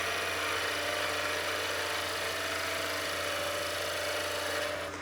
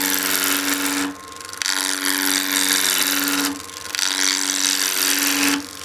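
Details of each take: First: Skew chisel planing cut on a lathe, edge at 45° to the wood, very sharp tool, light pressure: steady hiss over the lathe's even hum, no chatter or catches; normal clean cut. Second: Skew chisel peeling cut on a wood lathe blank with imperfections: harsh scraping cuts in bursts with uneven knocking as the chisel hits a knot, where a big split was then found.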